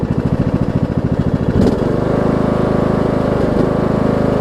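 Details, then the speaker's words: Troy-Bilt Bronco, Briggs & Stratton 18hp Intek, Chinese Nikki-copy carb with drilled low-side jet, low fuel; thump pulses unevenly then steadies under blade load with slight dips, mild surge, owner expects more fuel to reduce it. "I think some of that surgeon will go away because even before I drilled out the low-side jet it went away a little bit whenever I put more gas in it"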